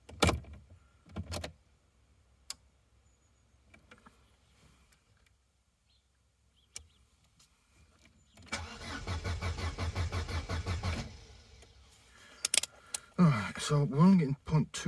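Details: Vauxhall Corsa B that sat unused 4–5 years. After a long silence the starter cranks evenly for a couple of seconds but the engine never catches. The fuel pump relay circuit voltage read too low, which the owner thinks is not enough to power the pump. Cranks, won't start.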